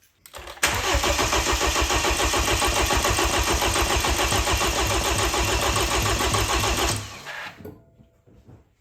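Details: Freshly rebuilt BMW N20 in a 328i, cranked with fuses pulled to prime oil before first start: starter cranks about six seconds with even, strong beats around three and a half per second, no misses; healthy compression, normal cranking.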